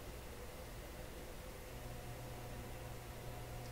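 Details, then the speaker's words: DeForest Crosley shortwave radio after paper capacitor replacement, first power-up in decades, magic eye working: faint hum over hiss steps up on its own; suspected warming resistors or bad tube socket connections, cause unknown. "The hum level just is changing on its own. Ooh, I don't like that."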